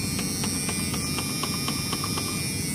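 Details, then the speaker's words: 1988 Ford Econoline van with wheelchair lift, engine off, power window switch pressed: a quick steady clicking about four times a second over a hum from the door, window not moving; owner suspects failed window regulators, not confirmed. "I hear the motors's clicking but I'm guessing any new Regulators"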